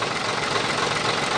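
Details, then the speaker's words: Fuso 220 PS diesel truck after injection pump timer repair: even smooth idle, previous tek-tek ticking from the timer gone; healthy idle. "Sudah nggak ada lagi ya bunyinya, tek tek tek ini sudah nggak ada lagi, sudah hilang ya ini dari tembernya. Ini sudah saya pasang semua. Nah, ini sudah nggak ada lagi bunyi tek teknya"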